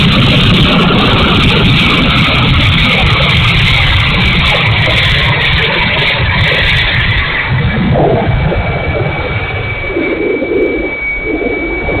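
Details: E-flite A-10 Thunderbolt II RC jet, twin 64mm electric ducted fans: steady high roar with a gravelly edge and a thin whistle wandering in pitch; motor sounds bad and runs rough.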